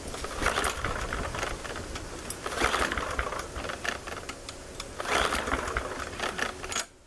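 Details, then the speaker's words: MTD push mower cold start attempt on fuel left in the carburetor after draining the tank, primed: three recoil pulls, each a rattling whirr that dies away, never catching; owner suspects not enough gas left in carburetor. "not not be enough gas left in the carburetor"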